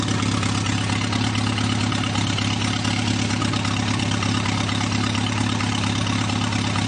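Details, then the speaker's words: Newly rebuilt 2.1L TR4A four-cylinder, first run test, warmed up, straight pipe without muffler: smooth even idle about 1,000 rpm (900 earlier), oil pressure about 55, no misses, knocks or rattles; normal idle. "but there it's idling about 1,000, and oh, it was down about 900. I guess now that it's got warmed up, it's running about 1,000."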